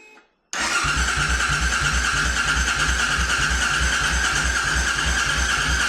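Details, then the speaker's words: C50 single-cylinder after tank cleaning and new fuel pump fitted, black oil; starter safety switch bypassed to get it cranking; catches and chugs unevenly, struggling to settle to idle; hard starting, later ran after being moved. "I hear that if you bypass this little switch, sometimes it'll work to get it to crank."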